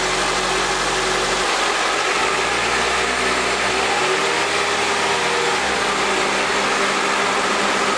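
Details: Idle just after the battery tester's cranking test: even, steady hum with no knocks, misses or whine. Charging reads 14.16 V unloaded with normal ripple; engine and charging system normal.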